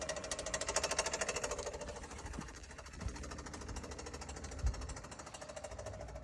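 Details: 2021 Kia Soul: fast, sharp, even ticking about three per second over a quiet running engine, an audible top-end tick of unknown cause.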